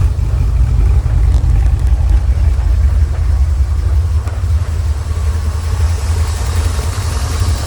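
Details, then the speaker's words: 1985 Porsche 928S V8 after warranty fuel-pump replacement, ignition wiring fixed, injector cleaner just added to tank: uneven loping idle surging and sagging every second or so; rough idle, owners suspect clogged injector, pump or fuel filter, unconfirmed. "all right so we got the 928 it's not running that good we need to drive it for a while it's probably the injector pump fuel filter put some injector cleaner and should run well"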